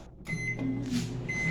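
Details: Microwave oven after replacing the burnt mica waveguide cover that caused arcing and burning noise: steady low hum with a faint fan whir, no crackling or sparks, now running normally.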